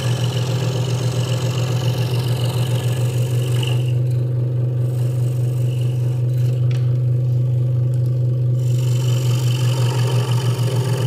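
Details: Hegner Multicut 2S scroll saw cutting wood after the blade protector was moved back to stop a rattle: a steady buzzing hum with fast, even blade chatter and no loose rattle; the saw is cutting normally.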